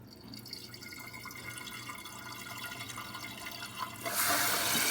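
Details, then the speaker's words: Toilet tank: quiet trickle of water, then sudden steady hiss as the fill valve opens and refills; "ghost flush" caused by an old, ruined flapper leaking water; fix is replacing the flapper, often also the fill valve. "the sound that we hear when we walk by and we really put it so uh no one's here no one's flush the toilet it's like a ghost flush well that's because the flappers old and is ruined uh letting water go through"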